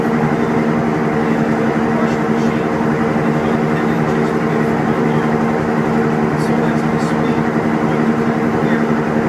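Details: Kimball washing machine on its final spin: a loud, steady roar and drone that drowns out speech. Abnormal spin noise, cause undetermined.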